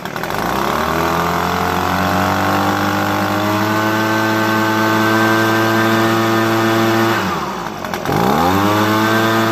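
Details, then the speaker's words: Echo PB250 two-stroke leaf blower at full throttle after adjusting the hidden high mixture screw, rpm only slightly above stock: high buzz climbs to steady top speed, brief dip near eight seconds, clean recovery; normal. "It's not great, you know what I'm saying? But it's a little bit better than before stock, you know?"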